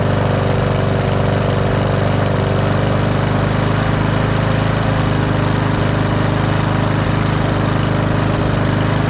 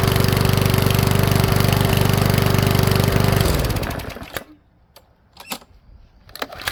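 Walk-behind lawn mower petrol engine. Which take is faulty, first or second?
second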